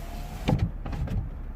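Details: 2003 Mercedes CLK 240 (W209) convertible during roof cycle after repair: short electric motor hum with soft thuds as glass seats, smooth and even; windows closing normally.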